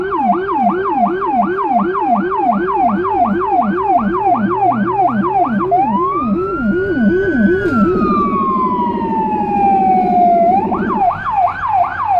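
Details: Federal Signal Rumbler low-frequency siren (pulsing 180–360 Hz tone) on a small emergency car during a hospital blood-sample transfer run in Budapest: fast yelping wail over a deep pulsing low tone, then a slow rising sweep; siren and Rumbler working normally.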